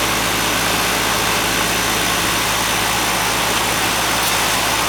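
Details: Goodman AC condenser in cooling mode after its leaking A coil was replaced and a wire readjusted: a steady, even hum with low droning tones and a constant airy fan rush, no knocks or rattles. It runs normally.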